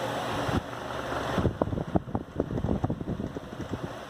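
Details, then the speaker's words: Arno Versátile fan "making tractor noise", with the grille removed and switched off: the hum stops and uneven rattling knocks fade as it spins down. The vibration comes from an unbalanced blade set, which shortens bushing and shaft life. Fix: balance with a clip weight. "Com essa trepidação, com certeza a duração da bucha, do eixo, é bem menor."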